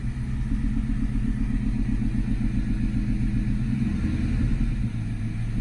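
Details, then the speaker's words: Ford Mustang that had overheated, first start after replacing the intake manifold and water pump, with water just added and the heater on. It starts up like nothing and idles with a steady, even low rumble, no knocks or squeals. Normal idle. "Let's see if it starts up. Shoot, got the heater on. Starts up like nothing."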